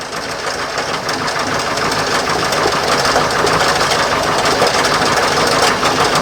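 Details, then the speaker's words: 1968 Starcraft Islander barn-find boat, MerCruiser 120hp, just started and timing still needing to come down: a harsh clattering knock about three times a second over a rough idle. The owner suspects a water pump bearing or timing chain. Unconfirmed. "It's either water pump bearing or timing chain. Yeah, that's not good."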